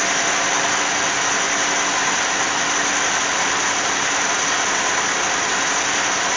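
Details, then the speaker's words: 2007 Cadillac GM 3.6 VVT V6 after replacing cylinder 1 fuel injector and coil to fix misfire: smooth even idle, steady hum, no stumble or skip; running cleanly on all cylinders. "let's see if she runs well it sounds okay let's go ahead and double check and make sure these are snug sounds good as hell"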